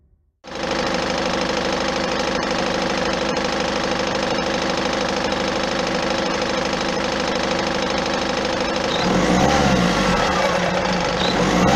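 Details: Peugeot 407 1.6 HDi 110 diesel, noise after acceleration: steady rapid clatter about three knocks a second, roughening as revs drop; cause unknown, flywheel replacement planned.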